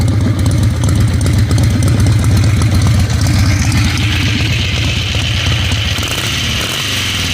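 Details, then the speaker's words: Ironhead Harley Sportster V-twin after fixing carb backfiring found not to be a carburetor fault, timing checked with timing light, after test ride: loose lopey steady idle, no pops or backfires; runs great. "so I'm back at the shop and this thing runs great"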